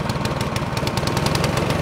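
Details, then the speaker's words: Craftsman snowblower cold start on electric start, full choke, primed three times, throttle low-medium; quick regular single-cylinder putter about seven beats a second, holding steady: normal warm-up idle. "from here you're going to push your start button and do not hold it for more than 5 Seconds at a time she's up and running"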